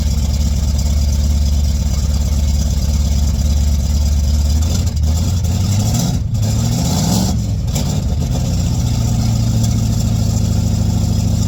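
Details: 1959 GMC truck with rebuilt Holley carburetor running from the freshly cleaned factory fuel tank: deep, steady rumble rising and falling with throttle blips via a cable to the throttle, then settling to an even, healthy idle.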